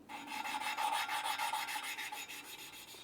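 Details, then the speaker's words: BMW 335i N54 cylinder head valve lapped by hand with a suction cup and coarse compound: gritty, low-pitched back-and-forth grinding about three strokes a second. "Then I will take the suction cup, put it on the valve, and now when I'm gonna spin it with my hands, you will hear low pitch grinding sound."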